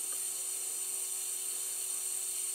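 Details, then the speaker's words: MFJ-4275MV power supply with voltage raised step by step from 8 to 16 V. It gives a steady high-pitched hiss and whine with no low end: the capacitors are frazzled. "so um they're definitely um frazzled definitely so i'm gonna get a price on new capacitors for this thing tomorrow"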